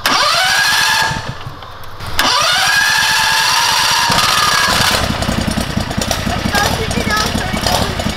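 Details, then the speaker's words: Predator 670cc engine in a Yerfdog Spiderbox go-kart, after fitting a governor spring with more than double the tension: it revs cleanly and holds a steady pitch near 3600 rpm. Before, it barely reached 2000 rpm. "the governor still kicks in but it holds it around like probably 3600 RPMs like a normal Predator should"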